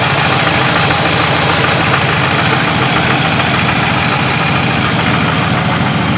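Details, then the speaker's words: Truck unstarted for a week, alternator belt problem, now warmed up: idle with a faint, fairly steady knock over a rough, raspy exhaust note; owner says it knocks badly when cold and exhaust isn't right, cause unknown. "When you first started, it knocks like a bitch. But you can hear the exhaust like it ain't quite right."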